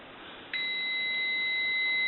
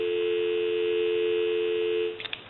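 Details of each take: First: AE Monophone rotary desk telephone, receiver capsule measured at about 3.2 ohms, near a dead short; a clean, steady high beep holds for nearly two seconds; the capsule is basically bad despite giving a little receive audio. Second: AE Monophone rotary desk telephone during checkout and repair, handset lifted: clean steady two-note hum for two seconds, then handset handling; healthy, normal dial tone.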